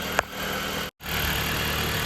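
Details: 2019 Dodge Journey idling right after alternator and serpentine belt replacement; the alternator pulley had come off while driving. Charging tested at 14 volts. Smooth, even idle hum with no knocks, squeals or misses; normal idle.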